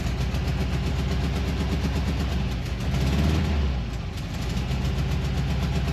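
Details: 1968 camper bus engine after stuck valve freed, new pushrod and pushrod tube fix: low uneven chuffing with rpm sagging and recovering; rough running, owner suspects old points or carburetor running too rich.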